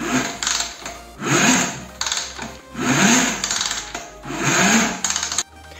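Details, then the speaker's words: Motorcycle kick-started four times with a rising whir like another small motor spinning along; engine feels locked, with the starter motor spinning along. "nosotros al momento de hacer la pata ósea de patear la moto escuchen el sonido suena como si estuviera girando otro motorcito que es este motor de"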